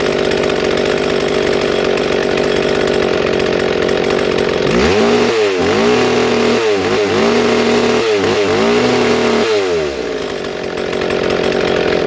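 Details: Two-stroke chainsaw with its idle screw being adjusted: a fast, busy idle with short throttle blips between. Idle is set too high, enough to creep the chain, and the screw is turned counterclockwise to slow it.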